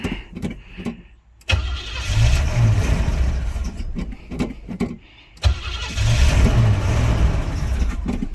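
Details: 1976 Suburban, unrun for about 25 years: long cranking, then a stumbling catch that surges and sags at low pitch; carburetor needs help, fuel starvation. No smoke, just water.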